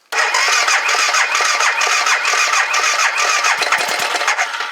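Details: 2009 BMW G650GS single, stored 5 years with fuel removed, new battery, throttle untouched: catches at once and settles into a quick, slightly uneven idle with no knocks or grinding before the old fuel line comes loose in the tank. Normal start and idle.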